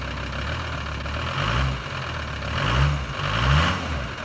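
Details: VW 2.5 TDI van (ACV/AJT engine), cold start after about three weeks parked with a puff of white smoke. Uneven idle with a lumpy knock that swells and fades every second or so. The owner suspects pump timing or injectors; unconfirmed.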